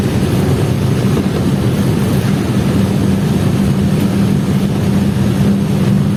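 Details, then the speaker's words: Chevrolet Vectra after fixing a misfiring problem, full-throttle pull-through on an empty road, reaching over 60: steady strong drone with a firm low hum, no misses or stumbles; normal acceleration. "Poxa não sei quanto que pegou mas que deu mais de 60 Deus então galera tá poxa vocês ver que o velho cão tá tá andando para caramba né"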